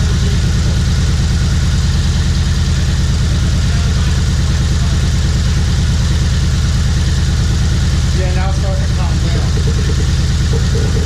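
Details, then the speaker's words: Turbocharged Chevy HHR project build on first start: loud, lumpy idle with an uneven chug about three times a second; cylinder 4 misfire because its ignition coil wasn't fully plugged in, which also set extra codes. Fixed by seating the coil. "The majority of them was actually due to a misfire in cylinder 4. That was only because we didn't plug that coil in all the way."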